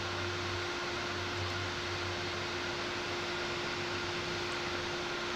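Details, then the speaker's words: Ryzen 9 9950X3D with Silverstone XED120S air cooler in FLP02 case, Cinebench full load: loud steady airy rush with a fixed hum as the CPU cooler fan spins flat out. "Ooh, that CPU fan's getting seriously loud. I don't know if you can hear that fan."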